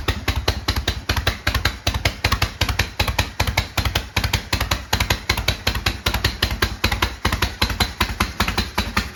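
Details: 1972 Harley-Davidson Sportster, first start after 32 years, after new starter, solenoid, regulator and wiring repair, cold: steady lumpy V-twin beat about two and a half pulses a second, holding idle; healthy.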